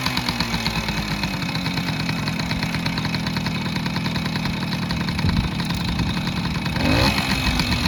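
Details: 1968 Suzuki Sportsman M15-2 50cc two-stroke, first cold start using the choke: crisp putter that picks up and settles into a steady idle; normal idle, with heavy exhaust smoke thought to be too much oil in the mix or worn crank seals.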